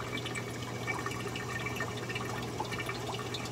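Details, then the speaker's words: Clear Water Scrubbers CW-50 algae scrubber: constant soft gurgle and trickle of water through the drain into the sump; gurgling absent when the PVC was unplugged; owner suspects the drain PVC size and plans to change it to 3/4 inch. "I didn't hear this gurgling that you're hearing right now on this scrubber"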